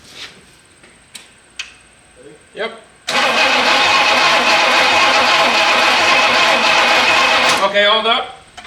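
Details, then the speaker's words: 1967 Pontiac Bonneville V8 with a battery fitted cranks several seconds steadily but never fires; no spark found. Owner plans to pull the distributor cap and check the points. "don't think we're getting spark. All right, go again. Yeah, we're not getting sparks."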